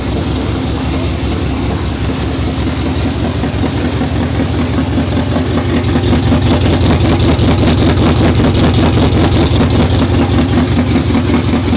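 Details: 2019 Roush Stage 3 Mustang V8, first start after engine rebuild: choppy running that sags between throttle catches, pulsing about twice a second, won't idle on its own; camshaft position sensor codes, apparently circuit codes, possible harness issue.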